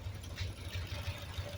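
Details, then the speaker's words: Home-built high-compression Triumph Spitfire 1500 (1977 block, ported 1300 head, small cam, twin SU carbs, Pertronix distributor, carb cheater) idling off the choke, not yet warmed up: a low, steady beat with no misses, knocks or ticks, no black smoke and the AFR right on; runs perfectly. "there we go runs like a sewing machine no black smoke nothing like that Run's perfect"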